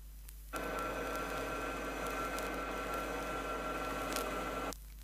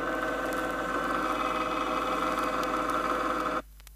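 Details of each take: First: Chrysler rear axle with correctly set pinion depth and proper tooth contact pattern: steady, soft low hum, no harsh whine or grinding; normal ring and pinion gear sound. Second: Chrysler rear axle, ring and pinion with the pinion moved 2/1000ths of an inch out of the drive gear: a slightly louder sound starting to take on a grinding, sharp character. Ring and pinion gear whine.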